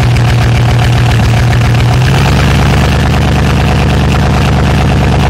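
Low, uneven engine idle with irregular thumps and pops breaking the rhythm; a popping fault at idle, cause not yet found.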